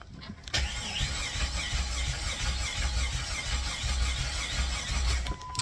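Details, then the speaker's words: Jeep 4.0-litre crank no start: even, fairly quick starter whir with uneven thumps and no firing; starter seems to spin faster than the crankshaft, suspected lack of compression from head gasket or internal engine failure. "So the cadence sounds pretty even, dun, dun, dun, dun. But what I hear is the starter spinning at a faster speed than what the crankshaft is."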